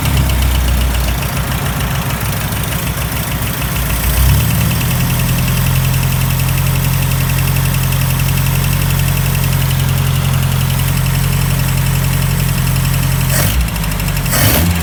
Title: Opel CIH Rod Knock?